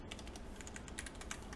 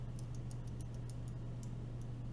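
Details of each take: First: Carbon fiber LJD61up mechanical keyboard rebuilt with lubed stabilizers on a plate without loop tabs; rapid uneven key clacking with loose rattle on heavier strikes, spacebar stabilizer rattle. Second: Green clicky switches (Gatistotles) with 80 g springs being fitted into an LJD61up carbon fiber keyboard: sharp, crisp, tactile clicks at an irregular typing pace over a low hum, and the switches sound clean.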